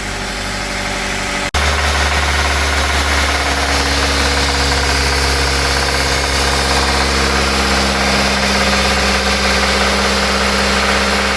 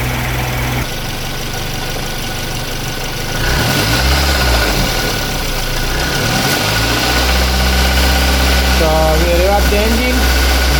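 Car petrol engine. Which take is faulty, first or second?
first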